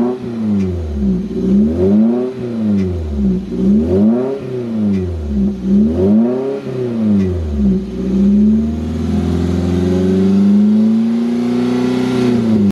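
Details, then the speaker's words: Toyota MR2 Spyder 1ZZ-FE after in-car rod bearing replacement, not fully warmed up: revs climb and fall smoothly about every two seconds, then a steady rise, no knock or tapping; healthy. "that just goes to show if you catch it early on enough you can just swap out the bearings without even having to worry about anything else and get your car back up and running"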